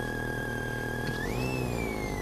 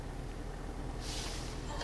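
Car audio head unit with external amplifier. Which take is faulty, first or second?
first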